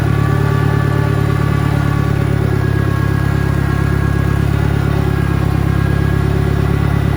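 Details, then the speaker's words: 1963 John Deere 1010 tractor, original and properly maintained, after third gear on a backyard lap and before reverse; steady, even drone with a mild gear whir, no grinding or knocking; normal gear transmission noise. "okay now third gear and you can just start to hear a little bit of transmission noise"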